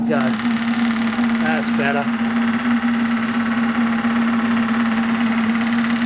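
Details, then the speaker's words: Maxitrak Graupner 5000 gas-fired steam engine driving a pond water pump, first firing, about two bar, condensate just cleared from cylinders; even fast beat at steady pitch after a few early splutters, normal running under pump load. "better it's running about two bars condensates cleared from these little cylinders it's really flowing now"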